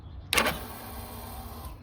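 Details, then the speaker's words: 2021 Yamaha XT250, 252 miles, sat since 2022, cranks but won't start: a sharp click, then a thin, high raspy buzz for about 1.5 seconds as the fuel pump primes; owner unsure the juicy sound is normal, pump suspect. "you can hear like the juices in there mixing I don't know if the fu pump's supposed to sound like that"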